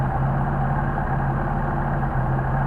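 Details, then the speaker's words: Testing customer's Mercedes 190SL Solex carburetors on a test engine during warm-up: steady but fast idle, higher than it should be; idle too high, suspected to be in the linkage, not confirmed. "Now already we got too high of an idle. And that you can hear, so I'm hoping, let's see if that isn't in the linkage."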